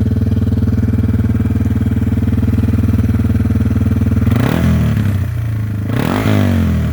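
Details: Yamaha TW200 just after valve, carb screw and clutch adjustment at a shop: steady, even single-cylinder idle thump, then two clean throttle blips rising and settling smoothly; normal idle and revving, running better than when bought.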